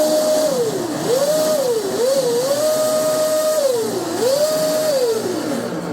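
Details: MHZ 57" Bulgarian catamaran's first high-RPM bench spool-up of freshly oiled MHZ drives and flex cables, driven by TP 5670 785kv motors. Clean electric whine rises and falls smoothly, no grinding; the line is healthy, with drives ice cold afterward.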